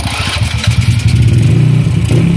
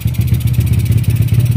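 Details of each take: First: Honda Wave 100 motorcycle just after top overhaul with new piston and rings (knock gone): low lumpy idle stumbling unevenly, misfiring; carburetor air jet clogged so air can't flow freely, timing not yet set. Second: Honda Wave 100 after top overhaul with new piston and rings, knock gone: steady even single-cylinder idle, regular firing, no knock or rattle. Carburetor air jet still clogged by stale gasoline, only main jet working, timing to be set later; running okay.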